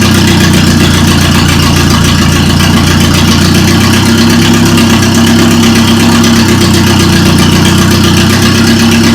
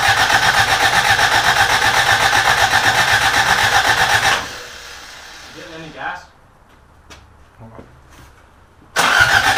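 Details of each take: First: Toyota Corolla running after engine reinstall: loud, steady idle with an even low hum and constant pitch, no ticking or misfire; engine running smoothly. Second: Rebuilt carbureted Toyota Corolla, first start attempt: steady fast starter churn about four beats per second, never fires, then stops; fuel starvation, gas not reaching carburetor, old tank gas believed bad.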